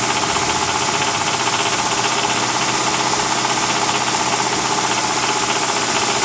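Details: 1999 Mitsubishi RVR 2.4 GDI (4G64): steady metallic knocking about four times a second over the idle, fairly regular; internal engine knock, source not yet identified.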